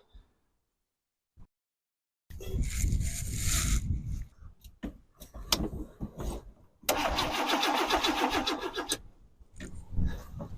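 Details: 1988 Chevrolet S-10 Durango V6 with throttle-body injection, long unused, cranks in long bursts with a steady churn but never catches. Fuel pump runs on a temporary ground and the injectors get pulses but are not firing, probably clogged or stuck.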